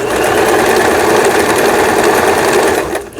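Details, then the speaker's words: Janome Pro Indigo sewing machine (sold by Lion Mising, about 12–13 years old) after repair of tangled lower-shaft gear and cam follower release arm: quick even clatter, about three stitches a second, steady motor hum; triple zigzag, triple straight and straight stitch all normal. "3중겹 지그재그, 그 다음에 직선 3중겹 바느질, 좌측으로 놓으면 직선 바느질, 우진 버튼, 정상, 각종 기능들 정상적으로 박음질돼서 아주 수리가 잘 됐습니다."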